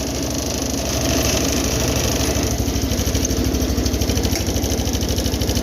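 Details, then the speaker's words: 210 lawn tractor after carburetor rebuild (leaking bowl gasket), air filter on; started without choke for the first time. Steady, even putter at low/slow throttle idle, firing regularly with no misses or hunting; best it has run, clean healthy idle. "It's the best it's ran on slow throttle too. A lot better than before."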